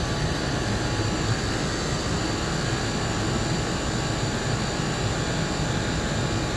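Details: Land Rover Discovery 3 replacement air suspension compressor, the original bent by damage, tested on the floor with the engine running: steady even drone, no knocking, slow but filling the roughly 25-litre tank and lifting the front; normal running.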